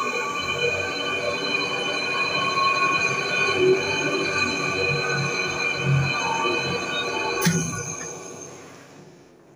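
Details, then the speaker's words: Electrolux 10.5 kg washing machine in spin mode: loud spin with a rough rumble and a steady high whine, then a thump as it winds down, from a worn mechanism or motor bearing; it is also noisy when agitating. "Bom, pessoal, aqui a máquina já está em modo de centrifugação. Vocês percebem aqui que o barulho também está um barulho bem forte, né?"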